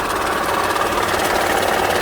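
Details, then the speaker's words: Honda Pilot petrol engine with a racket complaint, oil and coolant levels fine, idling with a steady rapid knock deep in the bottom end; screwdriver on the oil pan suggests a worn bearing (rod knock), suspected, not confirmed. "all right so i did the old screwdriver to the oil pan trick where i go to the oil pan and into the uh my eardrum or the outside of my ear rather and it sounds like it's a bearing"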